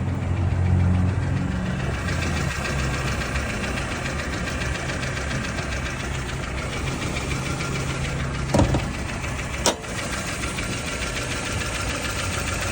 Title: 1994 Tercel clicking sound normal??